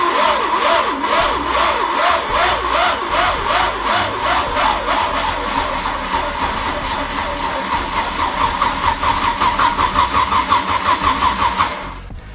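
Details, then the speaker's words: Cold start of an old engine (roughly 500,000 miles) with the ignition disconnected: a long crank at about 160 beats a minute with a harsh rising-and-falling whir; the starter, already noisy before, sounds worn but turns the engine freely. "Well, you can hear how noisy that starter is, my word. But it's turning over, which is good."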